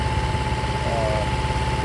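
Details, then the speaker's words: Restored long-stored 6.5 kW gas Kohler marine genset from a houseboat, bench run at about 30°F; smooth steady hum with faint constant tone, light on showing it is building power; healthy, small leak noted. "As you can see, the light is on. It's building power. It wouldn't even start if it wasn't building power."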